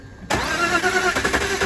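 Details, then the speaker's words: BMW E46 with M52 engine that cut out and arrived on a tow truck, showing no fuel pressure at the line. The starter spins the engine quickly and evenly without ever firing; it cranks but won't start, and no compression is suspected. "Car cut out MOT place. Been told in and um it sounds like there's no compression to me, but I'm going to do the basics."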